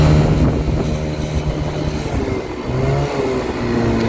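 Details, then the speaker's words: Chinese 50cc scooter engine on a ScootSled, CVT with three variator rollers; revs up very high with weird shift points. Flares to a high buzzing rev with uneven pitch jumps; over-revving from too-light rollers. "however however it is revving very high and it's creating weird shift points so what we need to do is remove the rollers that are in there and put three slightly heavier ones"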